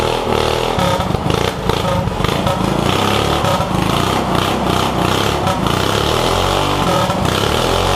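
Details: Yerf Dog go-kart with a 212 Predator non-Hemi engine, billet flywheel, 80-pound springs and Mikuni carburetor: single-cylinder putters at a fast uneven idle with a few throttle blips, no knocking or rattling; runs normally.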